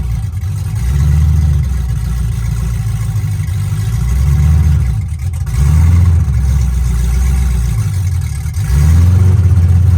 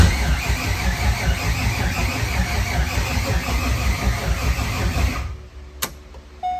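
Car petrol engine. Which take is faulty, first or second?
second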